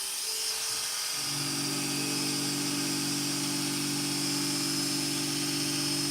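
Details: Hair clipper with a freshly sharpened barber's blade: steady even high buzz with smooth motor hum underneath, no rattle or labouring. Blade-drive socket judged fine, no adjustment needed; running healthy.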